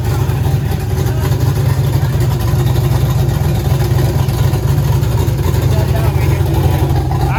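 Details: Freshly built 1000+ hp turbo LS V8 in a Mustang, first start: deep, lumpy rumble holding steady and strong with no knocks or misses; air-fuel on target, crank sensor suspected for a missing rpm signal; sounds healthy.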